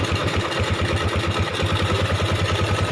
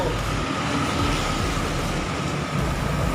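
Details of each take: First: 2008 Yamaha Jupiter MX 135cc after engine teardown and cleaning: steady idle with airy hollow intake rush on top; that noise is from the air filter rubber being removed. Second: 2008 Yamaha Jupiter MX 135cc after engine teardown and cleaning: steady even single-cylinder putter at idle, no knocks or ticks, no symptoms; smooth normal idle.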